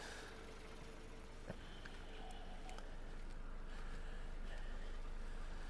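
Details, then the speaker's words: 2006/7 Volkswagen Golf Plus 1.6 petrol, six-speed, 230,000 km: low, even, quiet idle with a steady soft beat and nothing knocking or ticking; serviced engine starts and runs quietly, no smoke, no compression issues. Normal idle. "Мотор працює тихорівно заводиться співтиха заводиться тихенько такі мотори треба тільки слухати щоб перевірити їхній"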